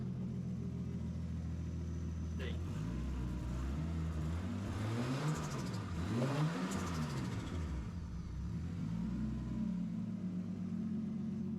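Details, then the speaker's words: RB six in a 240 after replacing the coil packs with Yellow Jacket units following a problem at the last event: revs rise and fall smoothly through several blips, even pull, no stumble or skipping; everything sounds good. "everything sounds good sir if anything happens between now and uh the event obviously I'll make a video on it"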